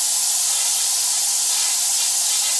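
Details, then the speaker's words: Black Max single-stage air compressor: a steady, sharp hiss of escaping air with no pulsing or motor sound as the tank bleeds down; leaking failed check valve, to be replaced. "And as you can hear. Air is leaking out. You can hear the air coming out pretty good coming out"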